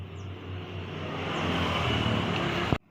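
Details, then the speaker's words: Honda Beat carburettor scooter after the clutch repair, previously shuddering "drut drut" at 3000–4000 rpm: now pulls smoothly at 30–40 km/h with no judder; fixed by fitting wider, thinner rings so the surfaces sit flat. "Ini motor sekarang sudah jadi ya sudah saya rangkai ini tadi juga saya sudah saya coba di kecepatan berkisar 30 40 itu sudah ada tidak ada ret ret ret R ret seperti itu"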